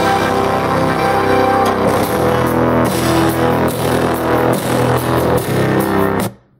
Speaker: The sound, when the speakers are set to 100% volume and your device volume is set to 100% volume, there's quite a huge amount of distortion in the audio.